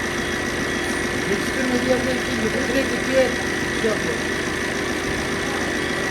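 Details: Fiat Bravo 1.6 Multijet diesel after AC repair: steady idle with even whir and constant fan hum, no knocks or squeals; AC running, though the fan's first-stage resistor is faulty.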